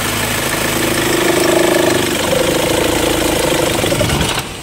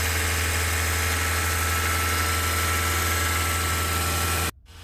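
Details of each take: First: Mahindra XUV500 diesel idling with AC on: a wavering mid-pitched squeal rides over the clatter for a few seconds from a worn drive belt and tensioner; the fix was replacing both the belt and the tensioner. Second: Mahindra XUV500 after replacing accessory drive belt and tensioner for noise with AC on; smooth, steady idle hum with no squeal or belt chirp until switched off: belt drive healthy.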